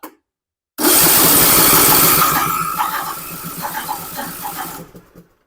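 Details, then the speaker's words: John Deere LA125 riding mower after new battery, throttle down at idle: uneven harsh lumpy sputter as if choke is on, plus a grinding sound; earlier ran rich with black smoke. Rough running. "it well that serious act don't sound [Music] good see the throttle away way down to idle and it sounds like the choke is on but I don't like that grinding sound either"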